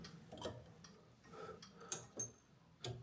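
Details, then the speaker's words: Jaguar MKII under reassembly, ignition on: right turn signal selected, flasher relay gives faint, crisp ticks at a slow steady pace in a quiet room; lamps flashing, right indicator working normally. "Let's do right. Right turn signal, flashing there."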